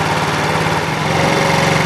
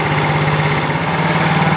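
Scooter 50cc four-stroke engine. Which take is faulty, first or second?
first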